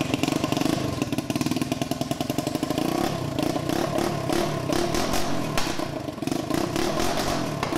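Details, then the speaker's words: 150cc Yerf Dog shifter kart, first start and test drive through the gears, gearing too tall: loud, rough revving with crackly pops and uneven firing, running super lean, backfiring a lot and low on power. "uh two the engine is not running right it's running super lean uh so it's backfiring a ton and doesn't have that much power"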